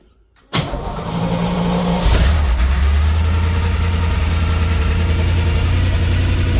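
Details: Cold start of a small-block Chevy, believed from a 1976-77 Chevelle or Laguna, with recent battery trouble, out of gear: quick crank, catches at once, brief high idle then steady deep even idle. Normal.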